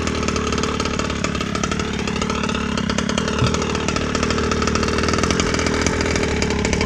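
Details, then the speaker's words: Rovan 36cc two-stroke with Victory big-bore pipe, hot day, started without choke: slow, steady, clean idle burble with even beat, no misses; idle set low but runs clean with plenty of bottom end. "Pretty low. Oh hell, there's plenty of bottom end on this thing, man."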